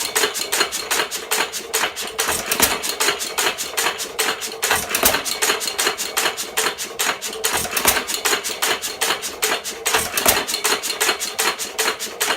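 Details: 1917 Fuller and Johnson model N hit-and-miss engine, first run in ten months: sharp metallic snaps, about two or three a second, with a lively mechanical clatter between. It runs normally.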